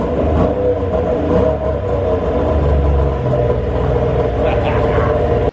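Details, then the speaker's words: 2002 Yamaha SXR 700 triple snowmobile, revived after sitting over 7 years and just fitted with a shock, revs with a strong even roar and no knocks or misses; normal revving. "Both shocks are doing their job, so may at some point need to be serviced, but I think they still got some life in them. Just wanted to fire it up again just to hear a roar."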